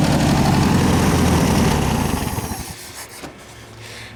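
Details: 1967 VW air-cooled flat-four (ragtop), long-stored, on old stale fuel with fan housing off; brisk even chatter for two seconds then winds down and dies. Otherwise healthy; accelerator pump needs fixing next.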